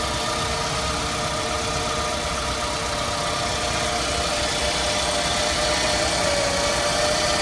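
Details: 2006 Scion tC at idle: a thin whistling whine over the engine hum, creeping up in pitch. The source is undetermined.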